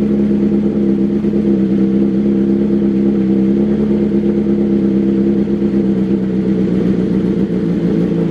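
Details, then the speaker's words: 2022 BMW S1000RR four-cylinder on pump gas after a custom dyno tune, cold start: fast, smooth idle with a steady hum easing down within seconds, unlike the stock warm-up; no roughness or misfire. "it is going to start high but give it like a few few seconds and you'll see it'll start to pull down versus how the OEM uh the OEM setup does so here we go let me fire it up for you guys"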